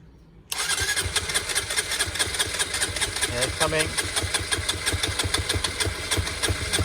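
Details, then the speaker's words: Honda CBR125 with 13,273 miles, not run for a long time, fuel pump primed: quiet at first, then the starter catches and the engine fires into a quick, slightly uneven idle with a buzzy top end. "it's not been run for a long time"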